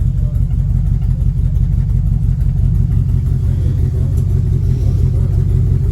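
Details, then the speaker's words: 1957 Ford F250 with a 272 Y-block V8, first start after almost 30 years, exhaust likely missing, sump oil leak, modest smoke: a deep, even V8 burble with a steady low beat and no knocks or misses; healthy idle. "sounds good sounds kind of mean actually your y-block V8 I like that deep V8 exhaust note"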